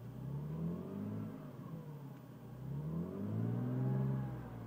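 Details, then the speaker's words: 1989 Mercedes-Benz W124 300E, long-sat project car, coolant just below sensor: smooth six-cylinder rise and fall through two throttle blips, no misses, knocks or rattles; sounds really good. "So yeah, here's what it sounds like. Sounds really good."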